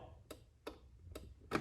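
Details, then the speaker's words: Craftsman T1700 lawn tractor, Briggs & Stratton engine, key cycled off and on with the fuel shutoff solenoid plugged in: only faint ticks from the ignition key switch and no solenoid click at the carburetor. The solenoid is dead. "I'm gonna plug it in and listen for it. I mean, I don't think it's working. I'm gonna turn the key off again and back on. The only click it's coming from is the ignition key itself."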